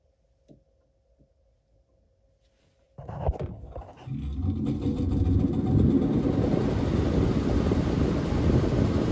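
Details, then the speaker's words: Lennox furnace ECM blower motor, jumpered on at the control board: silent, then at about three seconds the blower starts and settles into a steady airflow rumble, slightly rattly from the motor; blower runs in the right direction. "get off and it was going in the right direction a little rattly and noisy I thought but that was just a motor so that's good"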